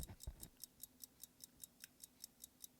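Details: Pocket watch over 100 years old, unwound for 30-40 years, just wound: crisp, even ticks about five per second with nothing else in the background; it runs normally.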